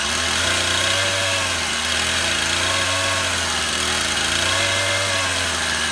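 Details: Stihl MS171 chainsaw, a cover off for priming, run outside: rough running with wavering, surging pitch, only staying alive on choke; fuel restriction, engine starving for fuel from a blocked carburetor fuel screen.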